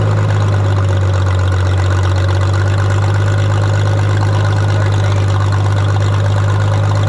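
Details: 1962 Minneapolis Moline G704 tractor on propane, first run after sitting for years: low chugging idle with uneven beat and stumbles; owner suspects a misfire on one cylinder, perhaps spark plugs, not confirmed.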